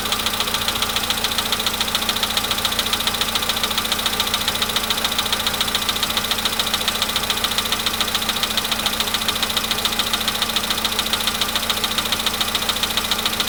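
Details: VW Polo Sedan near 100,000 km; steady idle with crisp regular knock about three to four per second, cause unknown; knock stops with more throttle around 1500 rpm.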